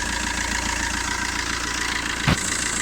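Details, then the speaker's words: 2008 Fiat Linea at 270,000 km, after first timing chain replacement at 267,000 km along with belt kit at dealer service: steady even idle with smooth unchanging hum, quieter than before, no knocks or ticks. "Daha sessiz çalışıyor. Yani ve daha net sesi. Hani bir dağılmadır, şaldırtı ya da herhangi bir ayrı bir ses yok."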